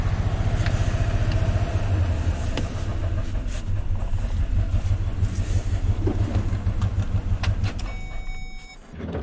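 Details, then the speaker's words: Engine held at 2000 rpm after Seafoam added to tank and oil: steady deep throb with light tick; hose-to-ear check traced the racket to number two on the left, owner says the valve; valve train ticking. "it turns out the number two on the left is the one making the racket so it is the uh it is the uh the valve"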